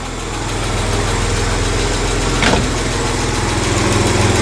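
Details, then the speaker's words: 1985 Jaguar XJ6 Series 3, 4.2L straight-six, after correcting the distributor 180 degrees out and setting timing with a timing light: even steady idle, smooth low rumble, no misses or stumbles; runs sweetly. "My timing light's pretty shitty, but um how sweet does that engine sound?"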